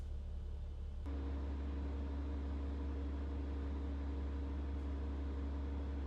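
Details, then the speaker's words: Bus air brake check, engine running while compressor builds pressure to governor cutoff at about 120–140 psi: steady engine hum with constant compressor drone that settles after a brief change; normal air brake governor cutoff. "We're going to inspect that the gauge is working and building pressure to the governor cutoff, which is approximately 120 to 140 psi. And at this point, we're going to listen for the sound of the governor cutoff."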